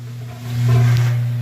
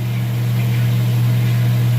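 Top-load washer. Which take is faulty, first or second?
first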